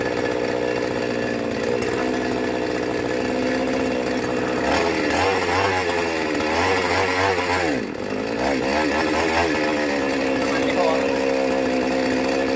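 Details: Brand-new Magnum G11 chainsaw bought online, first run: rough wavering drone, tries to climb then sags and nearly stalls; bogs on throttle, cause under investigation.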